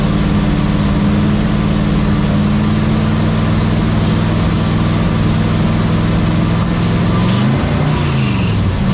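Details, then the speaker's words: '67 GMC C10 with the tired old 350 V8, warm, at steady running: thin constant squeal over exhaust drone, no obvious knock; engine drops oil pressure once warm, squeal source unclear. "earing was that that squealing noise is making when it drops oil pressure once it warms up."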